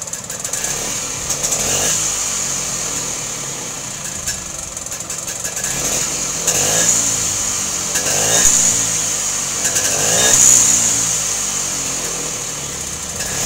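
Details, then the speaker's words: Vespa two-stroke scooter that was backfiring, after doubling the worn external condenser: idles evenly and picks up cleanly on throttle blips with no popping or bangs; normal running with clean throttle response. "Dan hasilnya lumayanlah sudah bisa lansam. Tarikan juga enteng. Gas gas kontannya juga responsibelnya bagus."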